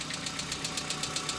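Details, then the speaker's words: Hyundai Accent cold start: light, sharp ticking about eight times a second over cold idle, hydraulic lifters before oil pressure builds; knock once lasted three to four minutes, now stops and rebuilds about five times. "И позвольте мне повторить, как я уже говорил в предыдущих видео, этот шум теперь стал возникать гораздо чаще и длиться гораздо дольше."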